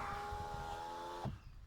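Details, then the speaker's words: Renault Laguna power window after repairing the regulator's broken plastic stop, with the motor still good: steady motor hum with a clean tone for just over a second, then a soft stop thump; the window runs smoothly without binding. "Et cette vitre marche magnifiquement bien."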